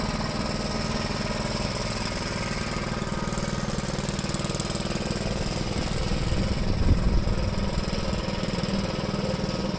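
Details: 1973 Gravely C8 walk-behind tractor, donor single-cylinder engine after a swap and ignition timing, with the plow attached and under light load; earlier backfiring has cleared. Even thump at about four beats per second with no popping or backfire: running smoothly.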